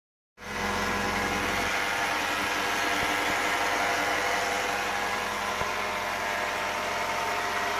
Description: 2006 Volvo XC90 V8 makes a whirring rattle at idle. What is it?